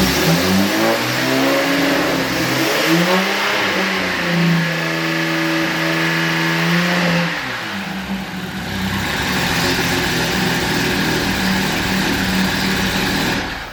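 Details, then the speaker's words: 2010 Camaro with turbo Vortec 4200 inline-six, first-ever start, no coolant yet: engine revs and settles smoothly with clean, even firing, no knocks or misses; runs well. "I was kind of amazed at how well the car started being that it was literally the first time we ever uh tried to fire the vehicle it literally lit off right away"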